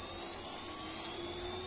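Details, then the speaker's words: CNC spindle motor after rewinding and new bearings, bench test: high steady whir with a faint even tone and no knocks, current about 2.5 mA, running smooth and healthy. "Đó, mọi người nghe tiếng chưa? Rất êm. Đây, dòng của nó có dao động khoảng độ 2,5 ma. Đó, chạy rất là êm này."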